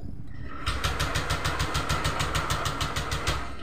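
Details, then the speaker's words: Honda Vario 125 with blink code 12 (injector circuit), no fuel pump hum at key-on: starter spins engine in an even chug about three beats a second but it never fires; crank no start, injector not the root cause. "itu enggak mau ngangkat Bro Enggak mau hidup dan timbul terus DTC atau ketipan 12"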